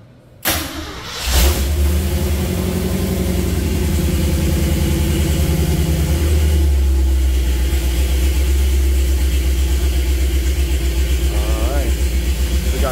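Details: Jeep CJ5 with Holley Sniper EFI, first-ever start of the engine on a rainy day: brief crank, catches at once and settles into an even idle with no stumble; good voltage, but the gauges aren't reading.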